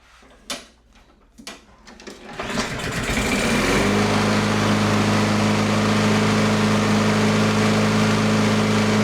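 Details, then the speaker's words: Toro Recycler mower with Briggs & Stratton 163cc engine, after repairs for oil leak, knocking and hard starting: a few cord pulls, then it starts readily and runs steady and even, knocking gone. "All right, she started up really, really good and the knocking sound went away."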